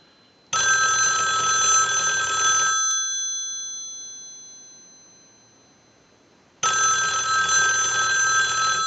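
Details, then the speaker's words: Country Line wood wall telephone on checkout, ring cycle sent from analyzer: two bursts of bright fast metallic bell ringing separated by a quiet gap; normal even ring cadence, working ringer. "now what we want to do is we want to go ahead and use the analyzer and we're going to send a ring cycle so we'll start that ring cycle"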